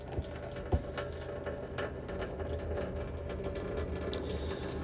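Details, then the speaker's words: Elddis Autoquest 130 motorhome water system, hot side of kitchen tap opened to fill the boiler: irregular splutters and gurgles over pump hum as the last of the trapped air purges out; normal. "so it's just cing out a last little of uh last little bit of air out of there now"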